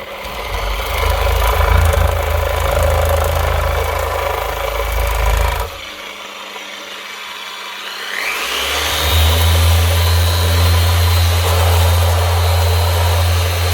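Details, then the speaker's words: Makita BO6050 750 W orbital sander after gearbox repair with upgraded gears: steady, even motor hum in power-driven mode that drops out briefly and spins back up cleanly, no grinding or rattle; runs normally. "So that's it. Oscillating and forcibly turning as well."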